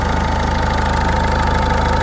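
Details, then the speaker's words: 1.6 HDI diesel restarted after replacing all injector seals. Before, a leak and a badly seized injector caused a whistle. Now it gives a settled idle with a fast, even clatter and no hissing; the whistle is gone. "je vais la redémarrer voilà elle redémarre sans problème donc sur ce côté là on entendait au début avant de monter c'est normal parce qu'il y avait une fuite"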